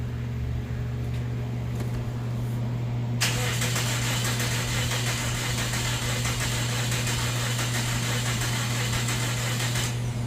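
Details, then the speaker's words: 2009 Toyota Matrix 1.8L, hard starting and rough running after the dealership replaced the timing chain tensioner and spark plugs, cranked with an amp clamp on the battery: no firing, uneven cranking beat with one weak stroke; low compression in one cylinder. "doesn't sound good guys oh my god guys this was at the dealership and we got a low cylinder look at that"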